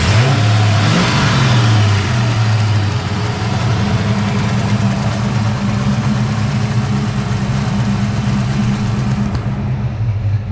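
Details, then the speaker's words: Foxbody Mustang project car V8 with a freshly installed drivetrain and off-road H-pipe exhaust, first fire-up: a few rev blips then a deep, steady, even idle burble, no misses; burning residue off the exhaust manifolds, clutch fan not connected, timing not yet set. "Doesn't sound too bad. Gonna let some of that stuff burn off of the exhaust manifolds there."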